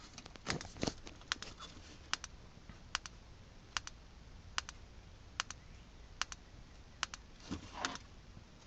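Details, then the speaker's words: Code 3 Deckblaster strobe with both jumpers in the up position: sharp paired clicks repeating about every 0.8 seconds, the power supply working normally in double flash pattern. "once again you probably can't hear it i mean you probably can't see it flashing on uh camera uh as well but i can hear the unit clicking twice"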